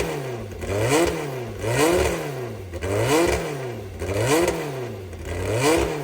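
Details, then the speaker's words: Brabham BT21 historic one-litre F3 race engine, first fire-up after rebuild, still cold before warming oil to about 50°: repeated blips, pitch sweeping up and down, crisp with no knocking; oil pressure looks good. "Okay, for a first time fire up, I think that was okay. The um oil pressure all looks good."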